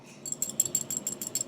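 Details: 1997 Harley-Davidson Springer Softail carburetor on the bench: crisp, bright metallic ticks about six a second as the accelerator pump squirts onto the needle, now working normally after reseating; it was not doing this before.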